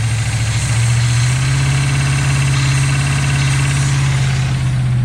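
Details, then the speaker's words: 1976 GMC C15 Squarebody truck, long abandoned in a pasture, idles with a low, even burble and steady throb after a battery-charger start, no misses or knocks; running well, choke still needs adjusting. "Old Bad Chad running like a top. Just gotta play with the choke a little bit."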